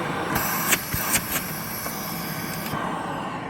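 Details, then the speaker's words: Shark anti-hair wrap vacuum, fairly new, bin full to max and hair-wrapped brush bar: steady rushing air with thin high whistle and sharp knocks, suction sounds blocked, probably from clogged filters; post-motor filter fairly clean. "I believe that's probably because the filters are clogged."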